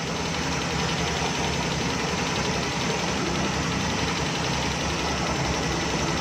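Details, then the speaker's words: Suzuki Bolan/Ravi at idle, missing; quiet idle with faintly uneven, loping beat as one cylinder misses from a water-shorted spark plug; misfire. "अब तो दोस्तों wire भी नहीं कम करती तो गाड़ी मिसिंग करना शुरू कर देती है"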